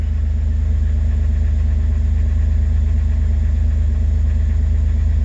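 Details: 2006 Jeep TJ 4.0 idling while warming up after replacement of the oil pump drive assembly and camshaft position sensor for a P0016 code: steady, even low rumble with a smooth, regular firing pulse and no knocks or misses; healthy idle.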